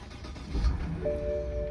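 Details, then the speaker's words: 2011 BMW 550i F10 N63, six-speed manual, after high-pressure fuel pump replacement and vacuum leak repair: a short crank, then it catches within a second and settles into a steady idle. No long crank, no check engine light, no limp mode. "starts right up no long crank anymore no check engine lane it's not limp mode"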